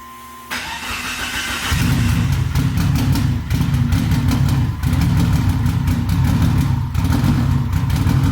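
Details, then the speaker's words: Evo whose engine took a hit at the track, started on a jump pack because of a low battery: cranks quickly, catches within a second and settles into a steady, even idle with no knocks. Engine saved; still needs timing belt, tensioner and crank pulley. "she's good so the evo's saved thank god"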